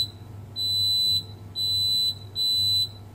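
Three steady high-pitched beeps, each about half a second, from the continuity tester: the processor chip shorts supply to ground.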